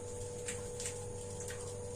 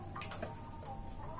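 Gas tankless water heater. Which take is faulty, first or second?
first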